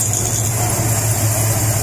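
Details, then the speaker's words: CL Charger build engine, still nearly dead cold, checking the cam. Steady, even low idle with a light, regular valvetrain tick and no knocks or misses; engine and cam running properly. "right yeah anyway they're turning i'm gonna say [ __ ] mint you don't get much better than that"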